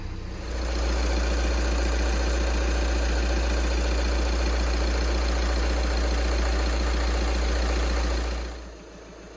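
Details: VW 2.0 TDI (CJAA) diesel after replacing and coding a fuel injector and bleeding the loosened injector lines by cranking: deep, even idle rumble with steady rhythm, no misses, knocks or rattles; normal idle.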